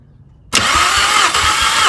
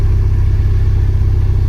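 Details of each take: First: Mk5 VW Golf GTI with cylinder 3 misfire, compression test with fuel pump fuse 27 removed: even quick cranking about three strokes a second, no skips; cylinder 1 reads 190, cylinder 2 195, good compression. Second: Mk5 VW Golf GTI with a cylinder 3 misfire, worse once warm; garage suspected a split piston or ring, but compression test suggests not mechanical: deep, throbbing idle with an uneven low pulse, heard under the bonnet on a cold start.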